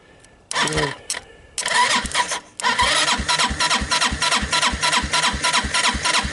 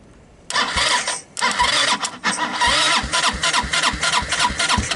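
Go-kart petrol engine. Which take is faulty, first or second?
second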